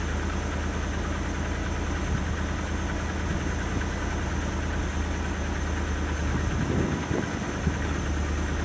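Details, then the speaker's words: 1977 Dodge D150 Adventurer truck, long wheelbase, 360-based engine, revived after sitting 12 years; idling in neutral, not yet warm, after spark plugs cleaned up the idle. Steady idle with low rumble and faint uneven puffing from an exhaust leak. "I mean, it has an exhaust leak, but it actually idles pretty nicely, surprisingly."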